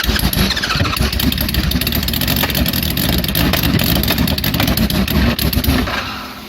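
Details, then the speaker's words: Homemade supercharged, fuel-injected Kawasaki Z1000 on a twenty-year-old aftermarket ECU, baffles removed, cold start after choke map change: loud engine runs unevenly with a lumpy stumbling beat, then dies; suspected too rich on cold start. "yeah maybe you want to remap it a bit less fuel bit less fuel on that cold start yeah too rich I reckon"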